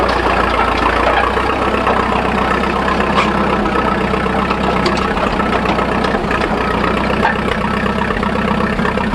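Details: 1941 Fordson Standard N tracked Roadless tractor idling on petrol after a choke start, warming up before switching to TVO: steady, somewhat rough low idle holding its pace with no knocking; normal warm-up idle.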